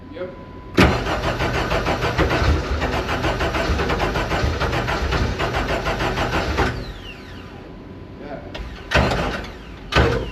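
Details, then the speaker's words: Deep Orange 9 car's freshly rebuilt engine on its first start attempt: steady starter cranking for about six seconds, a brief catch with exhaust, then it dies; fires momentarily but won't keep running. "whoa that was kind of goofy oh it was so close I mean technically it ran it combusted like we know that"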